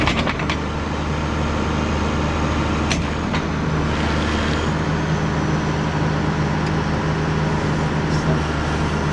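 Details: 2005 John Deere 710G 4WD powershift backhoe, 4,302 hours: the starter catches, then a steady, even low diesel rumble settles in with no knocks or misses. A healthy idle.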